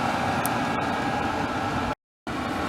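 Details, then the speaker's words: Diesel heater newly installed in an RV (backup to a 1994 propane furnace), 12-volt, pump frequency likely at maximum, output air warming: steady roaring blower rush with even ticking pump underneath until it cuts out; normal running at high pump rate. "This thing sounds like a rocket ship starting. Okay, that air's getting warmer."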